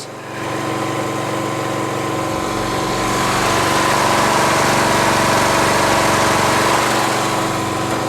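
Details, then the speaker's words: Poulan lawn tractor with Briggs & Stratton engine, after replacing a muffler that rattled from a loose inner plate, run briefly: steady, even single-cylinder idle with no rattle or ticking; running cleanly. "Sounds really good. Really sounds great."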